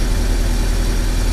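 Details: Proton Wira after fuel pump replacement, idling while the three fuel hoses including the high-pressure line are checked for leaks: steady low even rumble, no knocks, misses or whine; engine runs smoothly, fuel pump OK.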